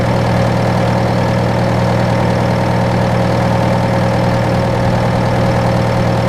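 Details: John Deere 6115M diesel tractor (about 3 years, under 1000 hours) idling after rubber fuel line replacement and electric-pump priming; steady, low idle with even beat, no stumbling or knocking; normal idle.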